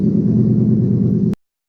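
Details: 2003 Toyota Hilux pickup with swapped-in 3UZ-FE Lexus V8 on a Link Thunder ECU, first start after power steering bleeding: deep, even V8 burble with a steady loping beat, no knocks or ticks, a touch loud; normal idle.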